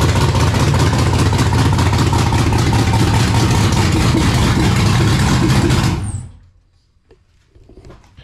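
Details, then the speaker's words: 1999 Pontiac Firebird with swapped LS LM4 V8, first start on makeshift fuel system (factory V6 pump feeding truck fuel rail), no cooling system, untuned and running very rich: steady even V8 beat at fast idle for about six seconds, then clean shutdown; engine runs. "so yeah dude woo she's a runner I was super pumped when she fired up"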